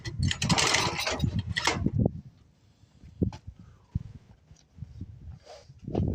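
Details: Old Craftsman 24 snowblower, Tecumseh engine, sat for years, 28 degrees out: catches in short ragged bursts, pops, then dies; won't keep running, cause unconfirmed.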